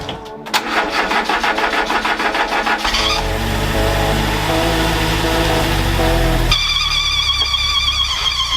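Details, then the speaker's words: First start of a Renault 4L's prepared 1108 cc Cléon engine after refitting the cylinder head; starter cranks, engine catches and runs unevenly with odd clattering and a sudden change; cause unclear, burning smell from grease on the manifolds. "je sais pas trop ce qui s'est passé ça fait des drôles de bruits après ça sent le cramé"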